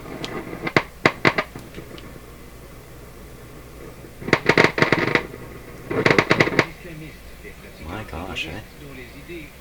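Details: Nordmende Norma Luxus tube radio: loud, irregular crackling bursts in clusters with quiet gaps, from the speaker, attributed to poor tube socket contacts (noisy sockets) despite attempts to correct them.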